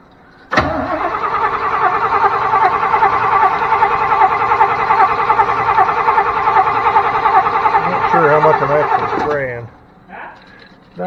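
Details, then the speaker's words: 1992 Chevrolet truck that sat 10-15 years, cranking with starter fluid: steady rhythmic starter churning, about two and a half beats a second, for nine seconds without catching; cranks but won't fire, suspected no spark, unconfirmed. "I'm going to go with no spark."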